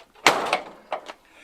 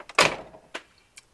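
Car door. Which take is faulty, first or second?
first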